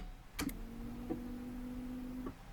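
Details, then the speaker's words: 1986 Pontiac Fiero GT, sitting unstarted about five years with past battery problems: after key-on, a quiet steady electric hum for about a second then stops cleanly; normal fuel pump priming. "time to see what it does so we'll take the square key see if we hear the fuel pump"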